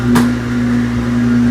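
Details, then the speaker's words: GE top-load washer after raising the right-hand adjustment screw and refitting the springs to cure the loud grinding, lid shut; steady low motor hum with even tone, no scraping or grinding; normal running after fix. "so far i don't hear any grinding"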